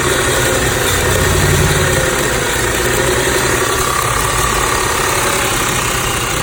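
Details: 2006 Audi A6 with loud uneven idle and irregular loping pulse, plus power loss at low speeds, started two days ago; rough idle, owner suspects PCV valve, not confirmed.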